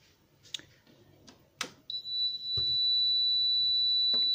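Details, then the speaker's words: UK plug-in socket tester plugged into a live socket before fitting a USB double socket: a few clicks, then a steady high-pitched whistle with two green lights, showing correct wiring. "it's making a high-pitched whistle and you've got two green lights on"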